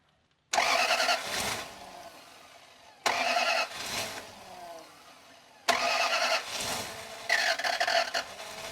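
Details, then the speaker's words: Toyota Land Cruiser, previously died while driving, reported no compression, after timing belt work, with the intake off and the mass air flow sensor and throttle body unplugged; three bursts of fast cranking, about 200 rpm, that never catch. "It sounds like it's really trying. I'm going to throw the air intake on so that the mass air flow sensor is getting a signal and then try again and it should be good."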